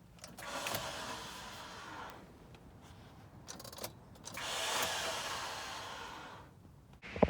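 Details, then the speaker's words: 2005 Honda Element, before starter replacement. The starter makes a weird noise when cranking: several uneven whirring bursts with a rough, rasping edge instead of a clean crank. Abnormal starter noise, cause unknown. "this is my 2005 Honda Element and starters making a weird noise so we're going to take a look at it and I'll show you what that noise is right now"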